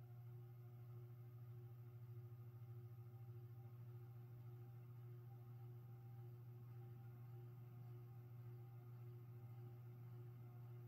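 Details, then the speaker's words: Mid-to-late-1980s 52" King of Fans Grenada ceiling fan at low speed: steady low hum from motor housing vibration, bearings quiet. "the bearings on the fairing are pretty quiet most of the noise you hear it is a vibration in the motor housing"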